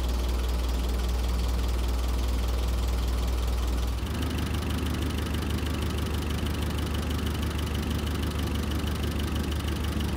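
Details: Terex carry deck crane diesel idling cold while warming up for a running valve adjustment, oil just reaching the rockers: light loose ticking about two to three a second over the idle; valve clatter.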